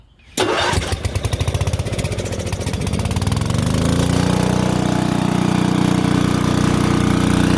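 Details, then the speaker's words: Lincoln Weldanpower AC/DC 225 engine-driven welder that sat about 8 years, idle screws now adjusted to stop backfire at low idle: brief crank, then it catches at once and runs steady and even with no misfires. "As you can see, it starts right up. Idle's good now."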